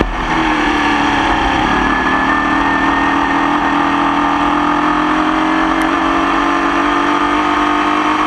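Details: Croft 2107 Formula Vee racing in the wet: loud engine pulling hard under load with a ragged, uneven note that never smooths out; persistent engine misfire under load.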